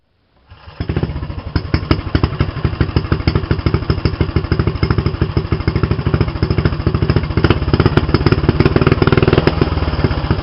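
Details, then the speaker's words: Mini bike with homemade exhaust, noise test before adding a muffler: harsh, loud popping at each firing stroke, a rapid uneven bark at idle; too loud, audible two blocks away. "i'm going to try to quiet it down it's too loud you could hear two blocks away"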